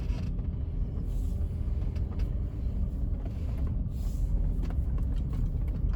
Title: Whining Noise